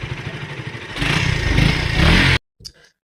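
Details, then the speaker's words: KTM Duke 200 that drained its battery and cut out while running, after fitting a new magnet (stator) coil: the single-cylinder bike catches and revs up briefly with a steady, crisp beat, then shuts off; it now runs and the battery charges. "So చూడండి guys, bike అయితే ఫైనల్గా start అయిపోయింది. ఇప్పుడైతే battery కూడా charging అవుతుంది మంచిగానే."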